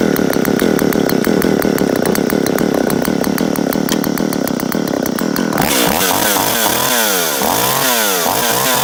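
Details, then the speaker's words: Jonsereds 520SP two-stroke chainsaw, recently bought, very good condition with original chain cover; started with choke then choke off, chain brake on. Steady even buzz, pitch sweeping smoothly with throttle, no misses or rattles; runs healthy. "This is a Jonthread 520 SP I just picked up this week. It's in very good condition and it runs really well."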